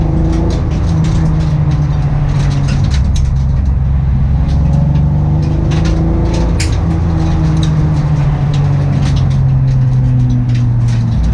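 Low, rough engine drone with an uneven, stumbling beat that never settles into a smooth run; the engine is misfiring.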